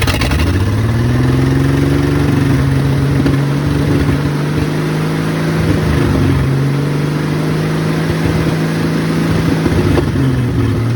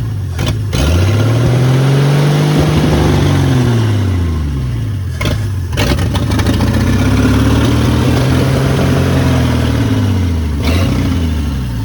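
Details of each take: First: 1972 Ford F100 Custom six, front exhaust pipe missing, leaking carb tapped to free needle and seat, rigged fuel supply: loud raw bark climbs quickly then holds steady even run with no misses; healthy but uncapped. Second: Long-neglected 1972 Ford F100 Custom, badly leaking carburetor fed gas by hand: engine catches and surges unevenly, revs swelling and sagging every few seconds, then stalls; owner suspects stuck float and fuel starvation.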